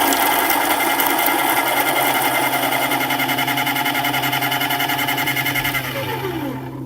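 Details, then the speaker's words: Baratza Encore burr grinder after repair, clogged chute cleared and burrs cleaned: steady high motor whir with fast even chatter of beans feeding through, spinning down smoothly; grinding normally. "So we cleared that clog and we cleaned up the burrs really nicely. And so everything's working really well now."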